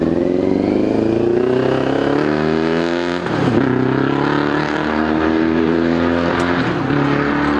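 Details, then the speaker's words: 2002 Yamaha YZF-R6 four-cylinder that sat 6 years after an earlier carb cleaning, original fuel pump working: loud and lumpy, revving unevenly with the throttle as if one cylinder isn't firing. Owner suspects a fouled plug or gummed carburetor. "I feel like it's only running on like 3 cylinders. Could be a foul plug, or it could be carburetor's gum."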